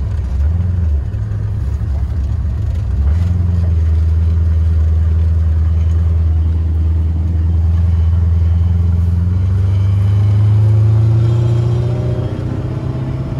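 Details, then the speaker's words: 1982 Corvette C3 with LT1 V8 and 700R4 automatic, not yet warmed up, full throttle: revs climb steadily for about ten seconds; transmission holds first gear well, then shifts second and third quickly and into fourth near 40 mph. "see transmission held first gear for a nice amount of time then it it does second and third quickly and then right into the fourth once you get to about 40 m hour"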